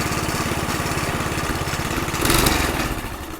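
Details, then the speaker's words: McLane 20-inch reel mower revived after about 20 years in a basement, governor calibrated and throttle working, air filter not yet fitted: the small single putters evenly, surges, then throttles down to a softer clean idle. "this is on it's calibrated correctly the governor works so I'll fire it up and show you guys that it works"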